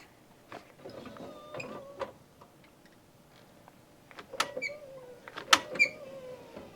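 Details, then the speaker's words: 2006 Alfa See Ya motorhome electric entry step after replacing motor and gearbox assembly: short quiet motor whirs with light clunks as step moves out and back; smooth, healthy operation. "listen to that nice and quiet"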